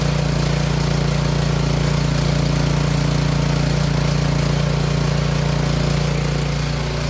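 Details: Troy-Bilt 24-inch snowblower, small single-cylinder engine, after tune-up with new spark plug, oil change, timing check and carburetor clean; steady even beat with no misses or knocks at low and high idle, purrs like a kitten; normal running.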